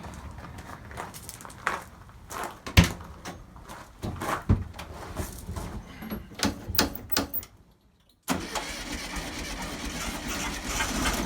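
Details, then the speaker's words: 1971 VW Beetle after swapping a 30/31 PICT for a cleaned reproduction Kafer 34 PICT-3 carburetor, still partly choked: uneven cranking, stumbling catch, pause, then unsteady running; carburetor needs adjustment, won't idle smoothly. "well definitely gonna have to adjust the carburetor it does work"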